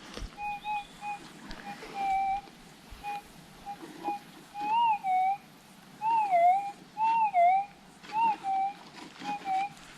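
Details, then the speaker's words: Minelab GPX6000, Normal ground type, Auto sensitivity, noisy Warwick ground over a known target: warbling tones near 800 Hz popping up about once a second everywhere; ground noise hides the faint target, easily missed. "see this is the problem it's making noise all over the place unless you get a sharp noise you're not going to want to stop and i could i could easily miss that even knowing it's there"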